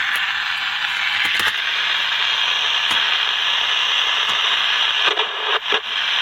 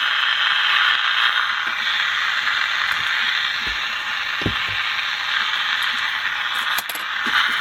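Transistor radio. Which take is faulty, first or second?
first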